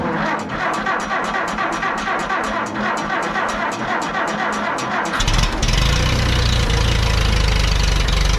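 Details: Allis-Chalmers D17 Series IV tractor after manifold replacement and tightening the muffler: steady ticking around four beats a second, then a fuller low rumble; even firing, idles cleanly and sounds much better.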